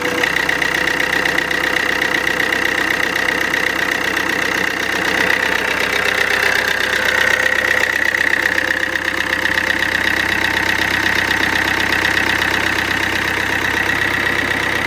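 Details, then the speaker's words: Alfa Romeo Giulietta 1.6 MultiJet2 diesel after fixing rough idle: even idle with steady light clatter and faint constant whine, no stumbling; normal idle. "I will let it run for a while, but it seems good."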